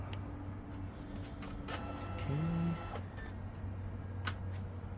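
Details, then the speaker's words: Brother DCP-7065DN laser copier powering back up after repairing the paper tray switch sensor/spring (no-paper error), doors closed: quick clicks and relay snaps, short rising motor whir that settles; normal startup cycle. "Make sure all the doors and everything are closed on it. Alright, let's power it back up."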